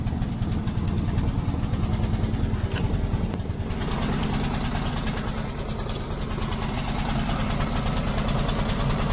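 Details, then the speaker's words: Petrol generator used to charge solar house batteries, recently running rough and dying: low drone that hunts and sags unevenly; owner suspects fuel starvation from carburetor or a blockage, not confirmed. "sounds like a fuel literally to me like it's starving starving fuel so uh either carburetor or blockage in there maybe"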